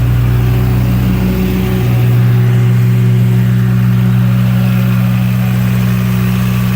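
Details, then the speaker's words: 35 kW liquid-cooled standby generator, warmed up with exhaust red hot, carrying the 5-ton and 3.5-ton air conditioners, load probably about 12 kW. Loud, steady deep drone with a firm even hum, no knocks or misses. Normal running under load. "it certainly seems to be running nicely under load so that's really what we care about"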